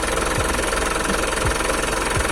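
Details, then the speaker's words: 2014 Mitsubishi Pajero Sport Dakar 4x2 automatic with VGT turbo diesel, under 100,000 km, service record, AC off, recorded at the engine bay: loud, steady diesel idle clatter with even rhythm and no irregular knocks. Sounds very normal, no leaks. "sangat normal bos. Kedengarannya masih sangat normal, tidak ada rembesan-rembesan juga nih kalau kita lihat."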